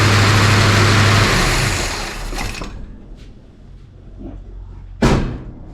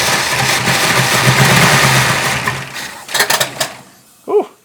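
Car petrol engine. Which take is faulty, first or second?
second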